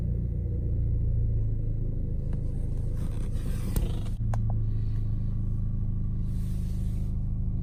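A loud, uneven low rumble with irregular stumbles in the idle after a cold start points to a misfire.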